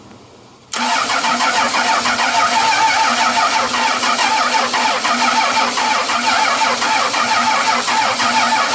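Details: 12-valve Cummins diesel after nine years sitting, fuel shutoff valve pushed up by hand, charged batteries plus jump box: brief crank, catches at once, steady even idle; runs good, injection pump seems a little sticky.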